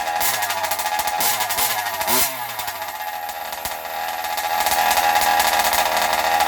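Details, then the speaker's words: Zenoah G320 two-stroke in Losi 5IVE T during break-in: busy, slightly uneven buzz softening a little as the mixture is deliberately richened for more oil; rich break-in running. "Okay, so as you can hear, it's actually getting a little bit softer. That's on purpose here. I'm trying to fatten it up a little bit to get a little more oil in there as I do the break-in here."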